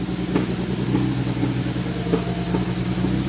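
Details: 2010 BMW 135i (N54, MSD81 DME) after a crank-no-start repair involving corroded, shorted circuits: a lumpy idle with uneven thumps and stumbles about twice a second. Misfire on cylinder 3.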